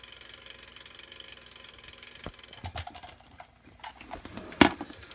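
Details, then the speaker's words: Defective Sega Saturn stuck at the Saturn logo but accessing the disc, laser working: irregular dry clicks and ratcheting bursts over a faint spinning hum; owner suspects something wobbling, maybe a warped or bent disc spindle, and thinks it needs opening and cleaning. "Just something is maybe wobbling inside here. I'm not too sure what the issue is. Wonder if this disc spindle is warped or bent or something like that."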